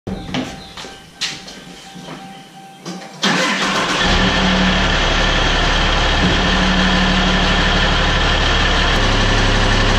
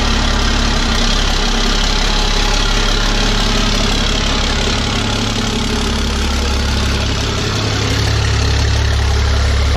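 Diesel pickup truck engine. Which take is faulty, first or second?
first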